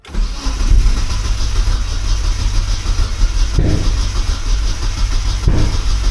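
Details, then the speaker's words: Turbo Miata sitting unused a while, battery about 11.7 V, after changing cranking fuel settings: steady starter churn for six seconds with weak puffs but never catches; long crank, no start, owner suspects fuel/flooding, not confirmed. "I don't know if that helped or made it worse. It's not even trying now."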